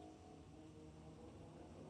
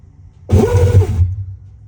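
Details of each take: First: Whirlpool/Maytag top-load washer test after fitting a new tub hub with grease, the old hub's splines worn smooth: even motor hum with slowly rising tone and steady agitation, no grinding or knocking; normal wash cycle. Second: Whirlpool/Maytag top-load washer commanded into spin with lid locked: short rough whirring as the clutch engages, then low motor hum while the tub and wash plate never turn, because the tub drive hub splines are stripped.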